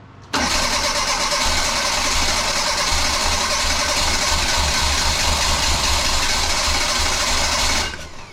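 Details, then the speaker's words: 1984 Bertone X1/9 with a freshly rebuilt engine, new fuel pump at 36 psi, good spark, timing about 5–10° and good compression; a long crank with only weak thumps as only cylinder three fires, caused by three bad fuel injectors. "so it's only hitting on one cylinder number three and you can tell it tries when you hit it with the ether it's a brand new motor it's just been rebuilt"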